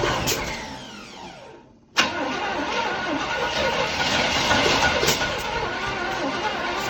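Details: 1977-78 Chevrolet Caprice Classic 350 V8, 52,000 miles, first start after 20+ years stored: slow cranking then abrupt catch into a rough, uneven idle, rust blowing from exhaust.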